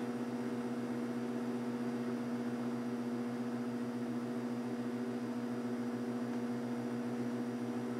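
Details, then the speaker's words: Breville BM0734XL microwave after repair of a loud humming fault, heating 200-300 ml of water: steady, even hum with no clicks or arcing, and the water gets warm, so it works normally. "working doesn't have the same sound yeah it's definitely working that's that's warm now"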